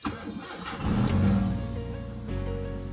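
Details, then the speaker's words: Mitsubishi Lancer Cedia automatic that stalled after starting, restarted after cleaning a very dirty throttle body: quick crank, clean catch and brief flare, then a steady idle holding at 900 rpm; normal start and idle. "Okay so Ayan mga sir ah tuloy-tuloy na yung andar niya So Ayan stable na siya sa stable na siya sa 900"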